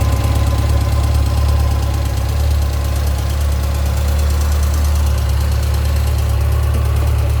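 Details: 2006 Yamaha FJR, 53,000 km, at idle; owner suspects cam chain noise. Loud, steady idle with busy mechanical clatter over the low hum; source unconfirmed: engine mechanical noise.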